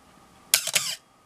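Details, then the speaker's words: Canon AE-1 Program 35mm SLR with 50mm lens, checked at slow speeds down to bulb: short, high-pitched squeaky chirps as the shutter opens and closes; all speeds work but the shutter squeals. "so everything worked but we did hear that squeal and i will uh just warn you that there are s"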